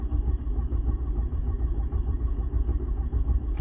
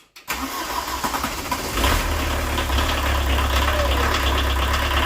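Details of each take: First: 1986 VW Jetta turbo diesel after sitting, cold, with a half-dead battery: fast, even cranking chug with no catch or firing; no power reaching the glow plugs. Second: 1986 VW Jetta turbo diesel with almost no compression and a previously dry injection pump, started after refitting four working glow plugs and the injection lines: brief crank, fires within two seconds off the key, then a steady, even idle clatter; normal start and idle.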